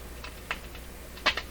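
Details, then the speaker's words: Canadian Westinghouse 981X shortwave radio run low on a dim-bulb tester while turning the tuning capacitor: sharp irregular crackles and pops over faint hum, dim-bulb light jumping with each crackle; something drawing power suspected shorting intermittently inside, not confirmed. "even this light is jumping with that crackling sound that's a very bad sign something uh something that draws power is uh shorting out a little bit inside the radio"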